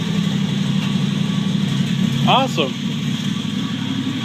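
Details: 1949 Chevrolet Deluxe 4-door, first start of a replacement engine swapped in for the locked-up original, no exhaust fitted. Loud, raw but steady idle, even low rumble with no knocks or misses; sounds healthy.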